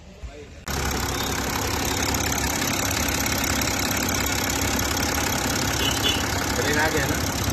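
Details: BMW X6 diesel after CAS module repair fixed a no-crank no-start fault (A0C1, terminal 50), diesel primed first: brief crank, then it catches and settles into an even, steady diesel clatter with no misses or knocks; healthy idle.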